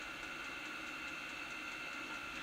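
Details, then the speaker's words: Newly installed Chinese diesel air heater on a boat, separate fuel tank, first run: steady soft hum with faint even whine and light regular pulse, jet-like, fuel pumping, blowing dry warm air; running normally. "it's really going now sounds a bit like a jet you see fuel going"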